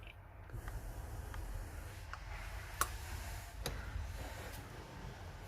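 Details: Maruti Zen petrol engine idling low and uneven, with irregular ticks and stumbles; engine misfire at idle.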